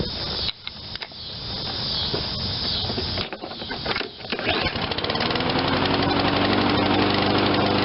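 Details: Toro 22-inch Recycler self-propelled mower, 163 cc 7.25 hp, low hours, sat too long and wouldn't start; after fresh fuel and carburetor cleaning, a few pulls then catches and settles into steady, even run; normal running.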